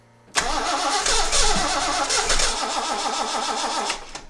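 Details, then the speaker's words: Datsun 260Z that wouldn't start, after carbs refitted with ATF added to their tops and starting fluid used: steady starter cranking, about four turns a second, tries to catch but never runs; cranks but no start, cause unknown. "Shoot. It's so close. I don't know. I don't know enough. I don't know anything. I wish I did. Just seems like it's almost there."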